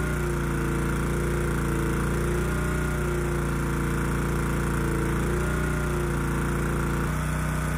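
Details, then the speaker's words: Honda EG2200X generator, early-to-mid 1990s, no load, after carburetor cleaning with low-speed mixture screw reset to 1.5 turns out: engine hunts and wavers, its beat uneven and surging, not running smooth; air cleaner ruled out as a restriction. "so I don't think it's coming across in the video kind of what I'm hearing it's just not running smooth you know clearly it's struggling with something"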